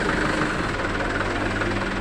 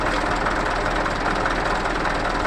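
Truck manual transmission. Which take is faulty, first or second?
second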